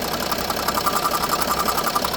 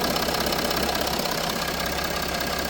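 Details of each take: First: Range Rover Sport at idle, owner told it needed new turbo/engine: fast, even ticking with faint high note from a slight vacuum leak at the vacuum engine mount and its feed pipe; stops when mount vacuum is blanked off. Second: Range Rover Sport diesel at idle with the vacuum line to the leaking vacuum engine mount blanked off: steady, even idle, ticking gone, constant hiss remains; owner had been told it needed new turbo/engine.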